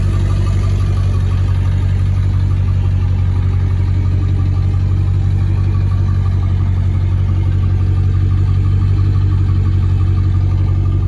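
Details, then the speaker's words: 2002 Ford F-250 7.3L Powerstroke turbo diesel, 236,000 miles, 4.5-inch turbo-back exhaust exiting behind cab: deep, steady idle clatter with even low rumble, no misses or knocks; healthy. "But I'll show you, I'll start it up real quick. Show you guys how good this thing sounds."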